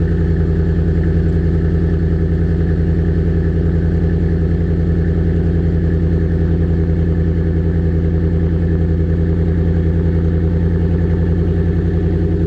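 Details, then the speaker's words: 2016 F-150 Lariat 5.0 V8, 19,000 miles in 14 months, stock muffler swapped for a Flowmaster Delta Flow. Deep, even idle burble, a steady low rumble with a smooth firing beat and no knocks or drone. Normal, healthy idle. "all I did was take out the stock Ford muffler and put in a Flowmaster Delta Flow, and it sounds like that. It's not too loud, it's not too quiet, and it doesn't drone at highway RPM"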